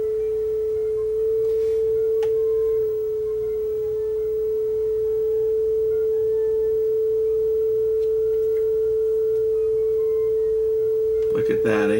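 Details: Yamaha K520 cassette deck; clean steady test tone with no wow or flutter, speed still slightly off before adjustment; steady tape speed.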